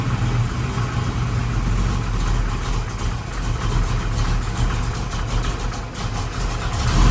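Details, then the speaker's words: Project 55 car with a new engine, after the vacuum advance was moved to a different port: a deep, loping, uneven, stumbling idle, better than before but still rough from insufficient ignition timing; the power valve is also wrong and there is a lean spot off idle. "so it's better it just didn't have enough ignition timing in it really it's just it's the whole combination is just off"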